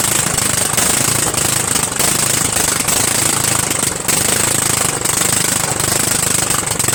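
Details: Murray 14.5 42" Widebody LT lawn tractor engine running on gas, fuel solenoid working, muffler off: harsh sharp rapid popping with heavy crackle, jackhammer-like; loud exhaust from missing muffler.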